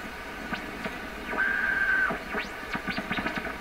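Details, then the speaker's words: PYE 39HC shortwave broadcast receiver, first test after recapping, tuning around 9–17 MHz: a thin whistle slides in and holds over crackly static as the dial moves. Heterodyne tone, possibly from an alignment issue the owner suspects. "I don't want that heterodyne tone."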